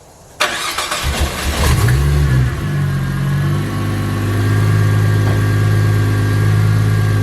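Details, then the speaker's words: Ford FG Falcon turbo, just fitted new spark plugs to cure a misfire above 4000 rpm: cranks, catches, settles into a fast cold idle with a tinny metallic buzz on top, the heat shield rattling while warming up. "there's one point where it's warming up where it makes that heat shield rattle like crazy so annoying"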